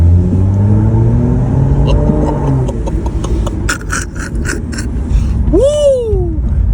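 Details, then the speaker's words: Stage 2+ tuned BMW M235i (F22), N55 turbocharged engine, on its first drive after rebuild and repaint, in eco mode: low steady even engine hum with no knocks or ticks, smooth and quiet. "Sounds so smooth. It's so quiet. It's quiet when it wants to be."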